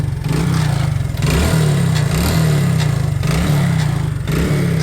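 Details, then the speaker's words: Used bike for sale, idling then revved: repeated throttle blips with a light rattling clatter from one side of the engine; odd noise when revving, seller reports occasional heavy smoke, engine work likely needed. "Raise ആക്കുമ്പോൾ ദേ ഈ ഭാഗത്തുനിന്ന് ഒരു ചെറിയൊരു sound വ്യത്യാസം കാണുന്നുണ്ട്"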